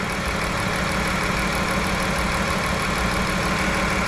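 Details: 2011 Chrysler Town & Country with 3.6 L Pentastar V6 that died on the highway: uneven, stumbling misfire at idle after overheating from a blown heater core hose; warped head, blown head gasket, coolant intrusion into a cylinder and lost compression.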